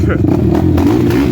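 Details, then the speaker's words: 2007 Suzuki LTR450 fuel-injected quad on a ride: idles and revs fine but under load gives irregular popping and banging with no power. "You guys hear that popping and banging? It's got like no balls."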